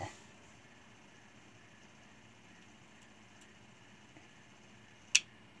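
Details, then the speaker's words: Electrolux LTE12 washing machine, new 220 V brake actuator under test after the old one made noise but didn't pull the steel cable: faint steady motor hum, then a sharp click as it reaches its stop and pulls, enabling spin; normal operation. "quando chega lá ele puxa e já em centrifugação senão não não centrifuga"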